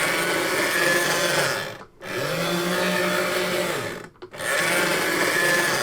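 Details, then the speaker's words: Sega Action GT Video Driver VHS console after work and reassembly including the cart; small motor whines with gritty grinding, cutting out twice as gears bind, still gets stuck and needs nudging; suspected badly manufactured or worn out. "And after all that work, it still gets stuck. I'm going to nudge. It seems to correct itself, but I don't know if that's even actually worse."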